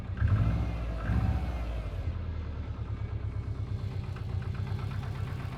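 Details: Subaru Impreza WRX GC8, EJ20G turbo: revs rise and settle, then quick regular light tapping over idle follows engine speed; internal knock driven a year, prior owner two years; told forged pistons knock, owner suspects connecting rod.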